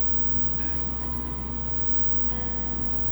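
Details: 10 kW generator auto-started via glow plug by AGS module, charging 5 kWh lithium bank through Victron Quattros, about 5.3 kW output under dynamic load: steady even low drone, no surging or hunting; normal running under load.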